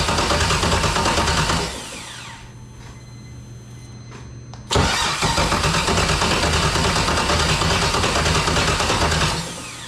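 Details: BMW E46 with LS6 V8 swap, first start attempt after sitting a year: steady starter cranking at roughly three turns a second in long bursts, engine spins but never catches; cranks, no start, cause not confirmed.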